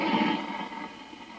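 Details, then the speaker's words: Accutrak VPE-GN PRO ultrasonic leak detector on a nitrogen-pressurized joint wetted with a spray bottle: loud busy crackling hiss in the detector output, wetting makes it almost too noisy; gas leak detected. "what does make a huge difference is if you take um like a spray bottle like this and you just wet down uh the area so you just basically just spray everything down and that makes a huge um difference so you can hear it just from me getting it wet it's almost too it's almost too noisy"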